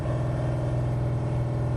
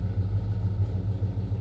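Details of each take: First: Freshly installed Pontiac 455 on a '67 GTO during cam break-in at fast idle, oil pressure having started at about 70 as it heats: a steady rumble with quick, even tapping about three times a second from the bottom end, suspected crankshaft striking the windage tray; exhaust leaks also present. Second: Pontiac 455 V8 in a 1967 GTO, freshly installed, at idle before the car has been driven; deep loping idle with steady low pulses about six per second and the whole car vibrating, no knocks or rattles; normal idle.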